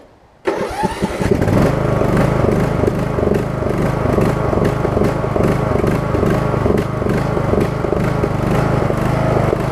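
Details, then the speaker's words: Craftsman single-cylinder riding mower with a new deck belt, blade engage cable and return spring: it catches after a short crank, then the idle rises and falls, pulsing for about a minute as it warms, then runs great. "let's crank it up you're gonna hear that it's pulsing for maybe about a minute or so as it warms up once it warms up runs great"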